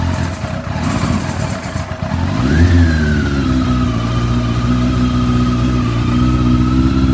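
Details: Rebuilt Bimota YB8E first start-up, carburettors primed, choke on, fuel tank above the seat, in neutral: fuel pump clicks, starter churns briefly, then it catches and settles into a steady, high choke idle with no misses; normal start-up.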